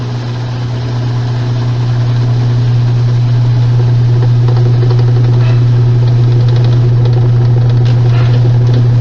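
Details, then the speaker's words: Washing machine during spin: heavy low drone with a steady thump about four times a second and abnormal movement; the transmission is completely damaged and must be replaced with a new one. "este ruido es de una transmisión que está completamente dañada y este movimiento es totalmente anormal esta transmisión hay que reemplazarla por una nueva"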